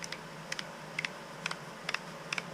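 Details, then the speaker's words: Second-hand SPV SAR50 automatic tapping head (MT2 taper) turned by hand: crisp metallic double clicks about twice a second as the torque clutch ratchet slips almost constantly at low spring tension; tightening the springs stops the slip. "so if we go back, try it off, it almost slips all the time. There you go, it's slipping like mad."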